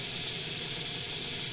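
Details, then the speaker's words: Jouef EMU 5154 model train with modified drive, on a rolling road at maximum speed on a Mehano controller: steady high-pitched motor hiss with no rattles or surges; runs evenly, only a little noisy. "it doesn't sound so noisy"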